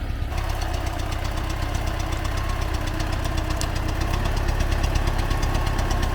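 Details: T-40AM tractor diesel crossing a field ditch to test the differential lock, about -14°C after standing a month; dull, uneven knock riding on the engine beat under load, source of the engine knock still being sought.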